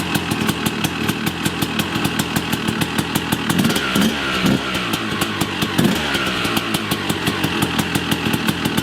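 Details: Yamaha YZ250 two-stroke after rebuild and fixing an electrical fault, first start: crisp even popping at a fast steady idle, no misses or knocks, cold and warming up on choke; running cleanly.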